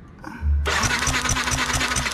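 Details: Yamaha NMAX scooter that suddenly won't start: starter whirrs with quick even cranking pulses but engine never catches; crank no start; spark present, old spark plug gap found too close, plug being replaced.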